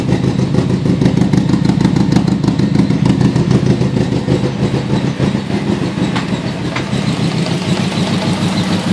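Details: Nissan CA18DET engine with a very rough, lumpy idle: an uneven chuffing stumble about three pulses a second, like one cylinder dropping out. Unplugging coil two makes no change, yet it has spark and fuel. Misfire, cause not found.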